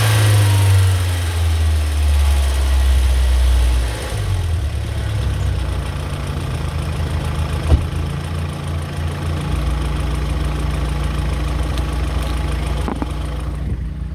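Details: BMW E46 318i four-cylinder petrol idling with light fairly steady ticking over the hum, still present after lifters were changed.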